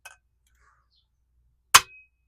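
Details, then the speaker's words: 1969 Honda CB350 cylinder head, hammer tap test on a valve to check whether it is seized: one tap gives a short bright ping that rings out instead of a dead thud, and the valve visibly moves, so it is free. "And you can feel it move and see it move. So this one's good. That one's good. They're all good. Now, if they were seized, you wouldn't quite hear that ping, and you wouldn't really feel it in the handle as it goes down."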